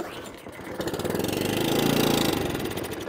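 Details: Atco Balmoral cylinder mower engine on choke, air filter cover removed, fuel poured into carburettor: catches with quick uneven chuffing about four beats a second, only after priming; owner suspects carburettor problem.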